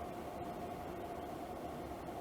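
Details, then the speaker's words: Levoit LV-H133 air purifier after repair of a loud rattle, running on medium with the inner grill cover still off: soft, steady airy whoosh and faint hum, no ticking or scraping, only slight vibration. "and it is running pretty quietly I can feel a little bit of vibration but it's not an excessive amount of vibration"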